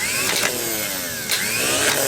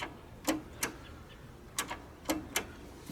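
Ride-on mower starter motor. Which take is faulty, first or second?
second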